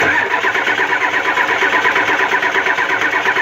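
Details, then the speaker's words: Ford 7.3 IDI diesel cranked after WD-40 sprayed into intake: even starter cranking at about three compression beats a second, never catches or fires; WD-40 fails to start it, cold crank no-start. "this is nothing scientifically just showing you that I couldn't get it to instantly fire off like you would with starting fluid as it doesn't either"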